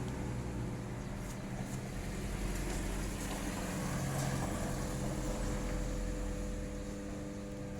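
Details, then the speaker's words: Hitachi automatic washing machine in spin-dry mode: steady low electrical hum with faint drone but no rising whirr; motor energised yet drum not turning, wiring to motor judged fine. "อ่ะนี้นะครับถังไม่หมุนนะครับอยากได้ยินเสียงอยู่ยังไงครับ"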